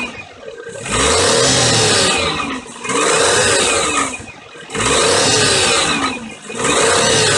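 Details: Daihatsu Terios Kid J131G, 2001, 98,984 km, repeated revs bring a rattling knock that rises with engine speed. Cause: broken alternator mounting bolt, not the engine itself; a countermeasure part was supplied.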